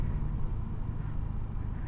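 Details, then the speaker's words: Honda PCX 160 riding over rough road after warranty replacement of the rear shock absorbers, which previously clunked: steady road and wind rumble with no knocks or thuds, now comfortable and quiet. "itu udah nyaman ini udah udah nggak ada suara"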